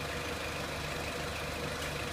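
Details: 2003 Renault Clio 1.6 petrol, intermittent stalling traced to loose crank sensor connector (sensor good), crank sensor scope reading good; even quiet idle with soft steady hum, no misses, knocks or hunting; normal idle.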